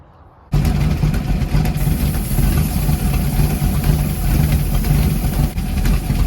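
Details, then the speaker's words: 1988 Ford Mustang LX 5.0 with B-303 cam, ported GT40 heads, untuned A9L ECU, 30lb injectors, BBK long-tubes: deep, choppy loping idle rumble typical of the big cam, not a fault. "Okay, you hear that B cam? Bum, bum, bum, bum, bum, bum, bum, bum. The muscle flexing."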